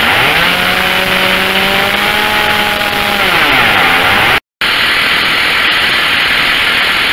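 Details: Stihl chainsaw after replacing the carburetor, coil and spark plug and tuning the H and T screws: a steady, clean high-pitched buzz at full throttle that drops smoothly back to idle, with no bogging. Full power.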